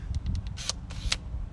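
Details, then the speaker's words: New aftermarket trunk latch actuator replacing failed electronic one: button pressed, quick crisp clicks as the latch opens; normal actuator operation. "every time and that in turn is going to open this latch"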